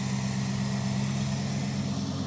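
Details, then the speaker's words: Dodge crew cab Charger project with 5.2 L V8 choked by a two-barrel carburetor: steady, even idle with deep droning buzz from the engine-driven cooling fan, like a WWII bomber, no knocks or misses; normal idle. "When it starts to sound like an old World War II bomber, then you know know you got the right noise."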